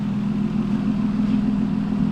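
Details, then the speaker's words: 2005 Ford Taurus wagon derby car just fitted with new spark plugs: steady, even low hum with no stumbles or skips; a smooth, settled, normal idle. "New spark plugs in it. Now it's running great."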